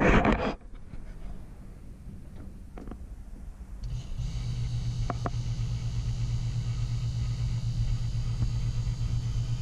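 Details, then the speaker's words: Taco circulator pump on a heated driveway snowmelt system, filled and purged of air, at 50-55 psi. After handling clicks, a constant low hum and drone holds steady. The owner suspects the mount screwed to the studs transfers vibration to the frame and may add rubber isolation pads. "the the the hum here the low low drone i think is because i i screwed it right to the studs so you know i'm sure it's transferring some vibration to the frame"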